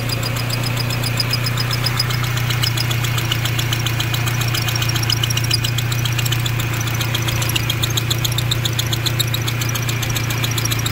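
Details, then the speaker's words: Honda CRX idling after a replacement distributor fitted: light, fast, even ticking over smooth idle, keeping pace with the engine; owner suspects valve clearance and still needs a hot valve adjustment, not confirmed. "either way I still got to here a little peack I still got to do a hot adjustment of the valves"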